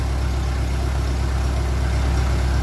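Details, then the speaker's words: 1957 Ferguson 35 TVO tractor after adjusting valves and removing offending push rod that caused bad tappet noise; deep even idle warming up, no tapping from top end; runs smooth and healthy. "That sounds very good now. Bit more rev. It's warming up. Stay sounding like that. We're sorted."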